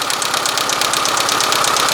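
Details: Rapid, even light ticking over a steady idle, quicker than the firing beat; valve tapping, clearances need adjustment.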